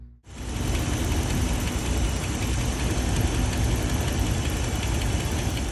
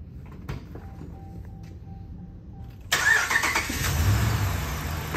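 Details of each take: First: 2013 Dodge Ram 1500, 5.7 Hemi V8 idling with a light, quick ticking over the engine rumble; Hemi lifter tick from a failed lifter that has damaged the camshaft. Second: 2013 Ram 1500 5.7 Hemi, first start after lifter failure and camshaft damage were repaired: a quick crank that catches cleanly into an even V8 idle with no top-end ticking, only loud injectors, sounding healthy.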